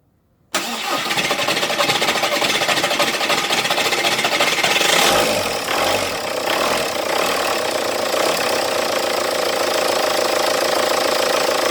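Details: TDI diesel hard starting only when cold: starter cranks about four seconds before the engine catches, surges, then settles to a clattery idle.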